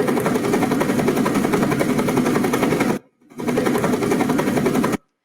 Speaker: So you can see that the flow, because the unsteady cavitation caused a lot of, the unsteady load caused flow-induced vibration. You can definitely see that, and you can hear that